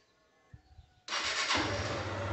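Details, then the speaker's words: 2011 150cc fuel-injected motorcycle after valve clearance adjustment: short starter whir, engine catches at once and settles to steady idle; earlier misfiring and not holding throttle was only a stuck valve, injection untouched. "amor tá agora tá ligando para vocês lembra que ela tem um dificuldades que vai trabalhar na hora da partida e agora tá segurando atração de boa era só válvula presa mesmo"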